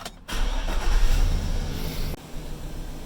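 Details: Chevy Silverado 2500HD after an oil pressure sensor replacement, oil pressure reading up: starter whirs briefly, engine catches and settles into a steady, even idle with no knocks or rattles; normal engine start.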